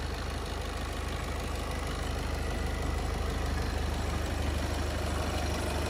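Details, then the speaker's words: VW Passat Alltrack 2.0 TDI diesel, about 5 years old, at cold idle after a cold start; smooth, regular low beat with only a faint belt hiss, judged normal, and nothing abnormal. "To, co slyšíte vy, i to, co slyším já, tak za mě zde není vůbec žádný problém. Auto běží přesně tak, jak má, za studena."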